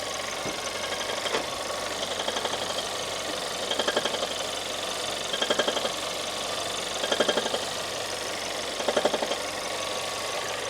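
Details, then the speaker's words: 2014 Audi A1 1.4 TFSI S line, engine idling in neutral while the car is pushed. Short bursts of rapid metallic clicking every couple of seconds, and the wheels seem locked as if in gear. Damaged manual gearbox, later replaced. "There is definitely something wrong with the um with the gearbox."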